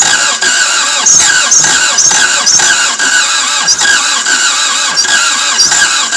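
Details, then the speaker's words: Toyota MR2 AW11 after cleaning injectors and distributor: repeated cranking with brief catches that never fire into a run, closest it has come; smoke seen, owner thinks from exhaust or intake; cause unconfirmed. "man you guys that's the closest it's ever been"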